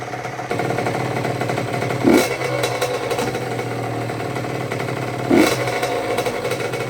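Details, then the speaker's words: 2006 Honda CR85 two-stroke after a Wiseco rebuild (new crank, piston, seals, bearings, gaskets), idling during its break-in heat cycles. A steady idle with two sharp throttle blips that rise and fall cleanly; crisp, even running with no knocks. "Get a couple heat cycles on there. She sounds good"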